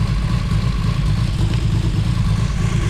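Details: Built 2JZ-GTE in a 1995 Toyota Supra at a lumpy idle with an uneven low thump about three times a second and one beat missing. A dead cylinder; the car was hesitating before this.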